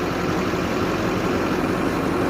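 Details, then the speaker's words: 2006 Chevy Silverado 2500HD Duramax LBZ diesel, injectors at 194K miles, number 8 suspected sticking, after upper engine and injector cleaning and about two hours of idling: steady, smooth low diesel idle without knocks or misses, quieter and smoother. "But overall, everything sounds a little bit quieter, and the engine seems to be a little bit smoother even just sitting here at idle."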